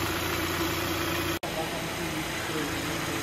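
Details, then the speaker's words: Kia with recently replaced engine that was knocking again; noise traced to a belt-driven component, fixed with a new water pump: quiet, steady idle with no knocking or bearing growl, normal after repair. "all right guys as you can see all back together brand new water pump and the engine is nice and quiet just as it should be and this one is fixed"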